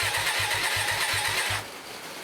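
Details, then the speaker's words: Hyosung 125cc V-twin motorcycle left standing for 2 years, first start attempt after its carburetors were cleaned, with choke applied; the starter chugs about five pulses a second and the engine never fires. "doesn't look good does it nothing's happening let's try again"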